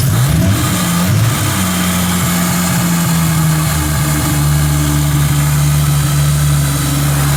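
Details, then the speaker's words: 1997 Nissan S14 240SX with a stock-long-block VVTi 2JZ, first start after installing new injectors, fuel rail, lines, regulator and dual pump hanger: catches and settles into a steady, even idle with no misfire; not running pig-rich. "it's not Smoking Pig Rich that's a good sign"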